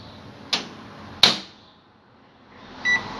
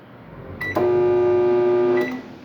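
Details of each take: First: Microwave oven after replacing the high-voltage capacitor and diode, heating a glass of water for 15 seconds: two door clunks, a quiet gap, then a steady low hum and two beeps; it heats normally and the water steams. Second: Microwave oven that makes noise and doesn't heat: loud, steady, strained buzzing hum instead of the usual soft drone. Suspected short in the high-voltage capacitor or diode; both were later replaced.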